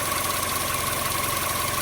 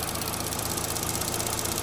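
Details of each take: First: 2012–2018 Chevy Sonic 1.8L non-turbo Ecotec petrol engine idling in the engine bay, running lean; uneven, lumpy, shaky idle with a faint hiss. Rough idle. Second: 2012–2018 Chevy Sonic 1.8L non-turbo Ecotec petrol engine idling after repair of a rough-idle complaint; steady, even idle pulse with no misses, running better, fuel trims back near zero. Normal idle.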